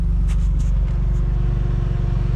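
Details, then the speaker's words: Autozam AZ-1 kei car idling hot in a parking lot after a new radiator, billet thermostat cap and radiator fan switch were fitted: steady idle with a faint, even whir from the electric cooling fan, which works; temperature then fell fast to 92. "yeah the cooling fan is working I feel it and I can hear it it's really hot see how this goes"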